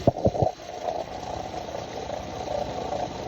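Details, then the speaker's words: 2016 Dodge Charger, engine revved, heard through a probe held close to the tensioner pulley: three hollow thumps then steady gritty rumble with mid-pitched drone; alternator and belt tensioner suspected, not confirmed. "Y'all see that tensioner pulley right there? It could be something to do with that, too."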